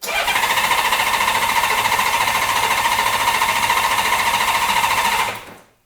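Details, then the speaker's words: Honda Goldwing first spring startup, ignition on, choke off, cranking without starting: even steady starter cranking about five seconds, no firing; low oil light goes out, oil pressure established. "you'll notice that as you do that as you crank the engine the low oil warning light will go out that means we've got oil pressure it's flowing around"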